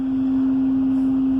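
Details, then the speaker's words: Intermittent steady pure hum around 250 Hz from inside the dash at idle, like cylinder honing; barely heard outside, on every start, usually stops after driving a few minutes; source unknown. "up inside the dash you hear it almost sounds like a honing noise like a honing shop or something like a cylinder is being honed out"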